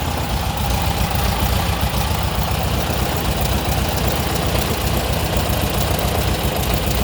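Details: 1959 VW Beetle air-cooled engine at idle: loping idle with irregular dull knocking, three or four a second, heard from the driver side; origin unknown, owner suspects clutch-to-gearbox misalignment.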